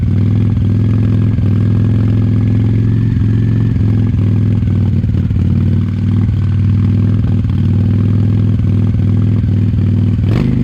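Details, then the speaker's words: 1998 Honda Shadow 750 ACE V-twin, sat over 5 years, idling after carburetor cleaned and refitted: very loud, open-sounding exhaust with uneven, stumbling beat; owner suspects fuel issue, possibly gas starting to go bad. "I don't know if you can tell from the video but it seems kind of hesitant and like maybe there is a fuel issue still happening"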